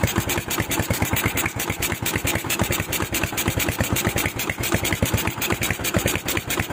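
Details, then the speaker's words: Honda Tiger stock engine with a PWK 28 NGO carburetor being set up, air screw at two turns: hiss over a rough, unstable idle, and the exhaust pops on throttle release. Mixture suspected off, not confirmed. "Eh, ada suara letupan di knalpot, RPM tertahan, tetapi ketika pedal gas ditekan, terdengar desisan, dan putaran idle juga mendesis."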